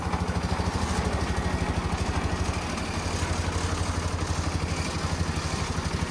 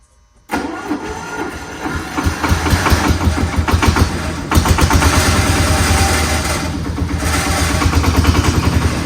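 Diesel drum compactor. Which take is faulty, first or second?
first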